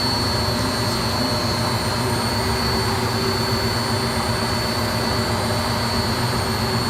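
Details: Beko D5 7101 washing machine with plastic tub, before bearing and seal replacement: steady loud roar with constant high whine during drum spin; worn drum bearing.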